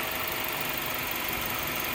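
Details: 2008 Kia Spectra after tightening the power steering belt and alternator belt tensioner: smooth, even idle with a steady hiss on top and no chirp or squeal while the wheel is turned lock to lock.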